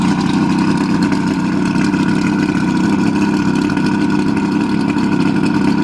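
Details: Mercury 1350 two-stroke outboard on 1971 Marlin boat, first start in over 20 years; even, fast buzz held steady with no misses, knocks or rattles; normal running.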